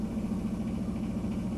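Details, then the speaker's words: Broan 162-D exhaust fan after the motor was replaced with a new one: a smooth, even low hum with a steady pitch and no rattle or scrape; much quieter and moving air. "putting the new motor in only took a few minutes and now it's much quieter and it actually moves some air"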